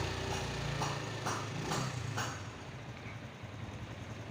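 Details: Honda Supra X 125 single-cylinder at idle, smooth and even with no rattle or chain slap; the engine had shown an occasional rough rattle, worse when revved, fixed by adjusting the cam chain tensioner spring, so this is after repair.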